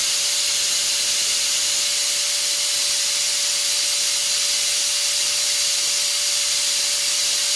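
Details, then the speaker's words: Multipro ESP99HP electric spray gun after replacing its standard motor bearing with a better one: strong even high-pitched rush over steady hum, no rattle or grind; spins smoothly and faster, slightly louder (around 110 dB before). "ya ada kenaikan ya ada kenaikan dari suaranya"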